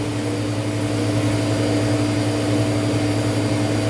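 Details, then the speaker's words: Walk-in freezer compressor during a pump-down test with the liquid line valve closed: a steady hum with a clear tone and even drone, running fine for now; the test checks whether short cycling comes from an internal leak. "By just closing this valve, it'll be putting it in a pump down state."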